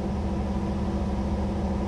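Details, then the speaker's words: Semi truck air compressor kicking on, heard in the cab through the intake breathers on the side of the truck: steady low hum with a faint high tone; the compressor is pumping normally, and the driver has heard there is a fix. "it's the air compressor you can hear it in the the breathers on the intake on the side of the truck and when it kicks on you know it it sounds like"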